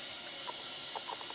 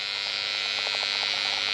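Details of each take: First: Behringer Eurorack UB1002 mixer after recapping, powered on with audio leads connected: only a soft, even hiss, the previous hum gone; hiss is said to be typical of these mixers, possibly from other unreplaced caps. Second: Behringer Eurorack UB1002 mixer, before recapping, heard near the speaker: steady hiss with a faint buzz that stops when switched off; noise floor blamed on cheap, dried-out electrolytic capacitors; electrical hum and hiss.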